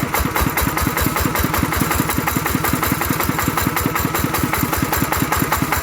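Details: Single-cylinder ET diesel engine after repair for loud knocking (suspected broken connecting rod bushing or crankshaft), running after reassembly; even steady thumping about eight pulses a second, no knock or clatter, runs smoothly.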